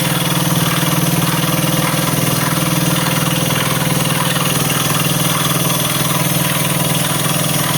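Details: Honda CBS motorcycle at steady idle with a regular tick about four times a second over the engine note; an engine noise of unclear source.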